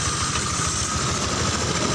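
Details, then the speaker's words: Fuel-injected Honda Vario 125 after an engine rebuild with a different-model block and KWN piston: once the throttle cable problem is corrected, the engine settles to a steady, even, smooth low idle with no hunting. "jadi ini permasalahan kabel gas yang tinggi aja kemarin waktu awal hidup itu tinggi sekali jadi selalu tinggi terus ini udah hidup dan normal suara"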